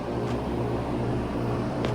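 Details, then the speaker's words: Old portable air conditioner after repair of a blown compressor capacitor, compressor seized before: compressor kicks on after a delay with a steady low even hum, no knocking or rattling; running normally, evaporator icing up. "All right, compressor kicked on. It's even got the light lit, and it sounds like everything's working."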